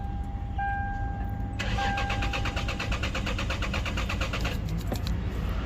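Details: Lexus GS300 cranks evenly but won't start; security light flashing, engine light on, code B2798 points to an immobilizer fault blocking the start.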